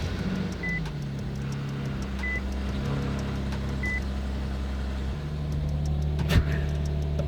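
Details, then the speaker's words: Nissan 370Z petrol V6 just started after replacing coil packs with Z1 upgraded units, new OEM spark plugs and valve cover gasket to cure a misfire: steady even idle, no pops, bangs, ticks or misfires. "No pops, no bangs, no ticks, no misfires."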